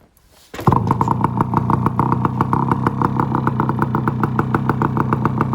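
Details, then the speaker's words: 1974 Yamaha RS100 two-stroke cafe racer after points timing, open loud exhaust: crisp rapid even firing at fast idle, running clean; burning off oil left sitting in the exhaust for a couple of years. "so it's gonna have to burn all that oil out of the exhaust that's been sitting in there for a couple of years that's the only way to get it out is to actually run it"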